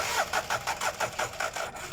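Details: Toyota 3-ton forklift engine, hard starting: the starter churns at about six compression beats a second with no firing, and the engine cranks but fails to catch.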